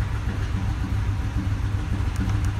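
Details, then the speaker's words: 2014 Ford F-250 Super Duty 6.2 V8 with a multiple-cylinder misfire, both banks affected, and high engine speed. Rough, loping idle with missing beats and popping back through the intake. Misfire counters are climbing. The cause was later found to be a broken exhaust valve spring. "there's that back popping through the intake I don't know if you can hear that Wow and if you look at our counters this thing is going nuts here"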